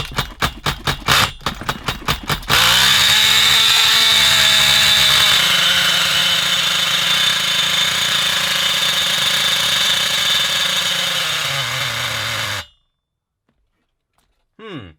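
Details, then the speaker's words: XTM Monster MT nitro truck engine, rebuilt with old parts (liner pinched, bearings cleaned), running on very old original nitro fuel: pulls catch into a thin, high-pitched screaming buzz that holds hard without burbling; reasonable compression, owner suspects fuel blockage, lean running. "Still got reasonable compression. Don't think it's getting enough fuel. I don't I think we got a blockage."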